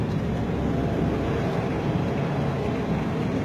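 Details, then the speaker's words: 2006 Chevrolet Aveo at idle: low, uneven rumble like one cylinder dropping out, unstable engine that won't hold idle and hesitates when revved; code P0202 points to the cylinder 2 injector circuit, fixed by repairing a wire. "tiene el mínimo y esté en alta de aceleraciones hace como lo que nosotros conocemos como un tranque o un motor dudoso"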